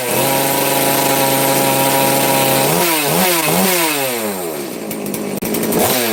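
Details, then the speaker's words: FarmMac F380 or F660 (Stihl 066 clone) two-stroke chainsaw, started on full choke, steady idle then quick throttle blips rising and falling cleanly; sounds a little better than before, smoky, revs and returns smoothly, running fine. "that sounds a little better before all Smoke's going to make me cough"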